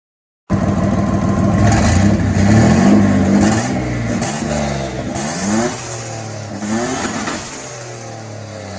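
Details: Turbo V6 Dakota with the new turbo catches straight away, revs up and down smoothly and settles toward idle with no knocks; no leaks reported, healthy.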